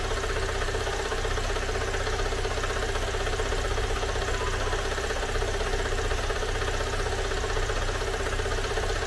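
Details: Great Wall car engine idling right after a teardown repair: a regular light knock of about two to three per second, a tractor-like clatter absent before the repair. Owner says oil was added; the engine is reopened and the cause is not yet traced.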